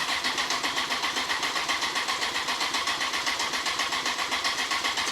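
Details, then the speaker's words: Honda CBR954 Fireblade, first start after six-month rebuild, fuel system previously fully drained: fast even starter cranking, engine never fires; no spark seen, owner suspects no fuel reaching the engine, cause unconfirmed. "it was cranking over a little bit then and it everything sounded okay"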